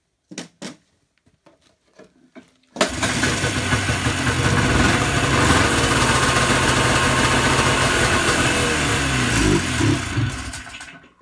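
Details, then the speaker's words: Yamaha Enticer 300 two-stroke snowmobile, year unknown, 120 psi compression per side, said to have run last winter; after priming fuel, weak cranking then it catches into a steady buzzy idle, smoking the shop, normal start. "Well, you got a runner. Uh-oh. Titan, we're smoking the shop out."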